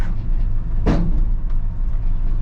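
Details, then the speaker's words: Fire truck with Chevy 350 engine and 4-speed transmission with PTO, pulling uphill out of a corner: a single heavy thump cuts through steady low engine drone; sounded bad, cause unclear. "Oof, that sounded bad."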